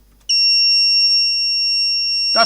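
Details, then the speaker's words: Graphics card powered up on the bench for thermal-camera fault-finding: a loud, steady high-pitched alarm sounds at power-on and holds unbroken; the speaker suspects a problem with the 12 V supply, unconfirmed, and thermal camera shows the card still cold. "he knows there's some problem with this little speaker with the 12 volt supply or something like that"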